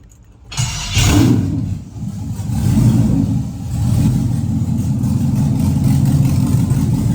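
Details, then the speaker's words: 1967 Camaro SS with an LS engine swap and a new fuel return to the tank, first start: engine catches at once, blips up twice and settles into a strong, steady idle. Normal start. "there we go. We have a running 1967 LS swapped Camaro."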